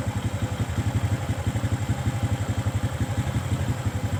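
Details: Kawasaki ZX motorcycle, stock carburetor, mixture screw set 5.5 turns out after carb adjustment for high-rpm popping and midrange hesitation: regular, even idle thump, roughly three pulses a second, holding steady without stumbling; the mixture is now set right.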